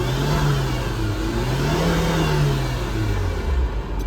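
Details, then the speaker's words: Tata Zest petrol after fitting new spark plugs for a cylinder 4 misfire (P0304/P0300): revs climb and fall cleanly on throttle blips with a smooth, even note, no stumble. The engine vibrated here before the repair. "ये गाड़ी बिल्कुल smooth यह देखिए actor बिल्कुल छूते ही accelerator काम कर रहा है पहले य यहां पर वाइब्रेट था"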